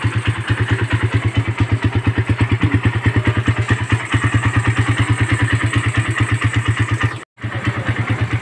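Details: Suzuki Satria FU150 motorcycle idling after fitting and adjusting a Keihin PE28 carburetor (air screw set no more than two turns out) to cure stutter and hesitation on throttle; steady, even low putter with no misses, now running normally.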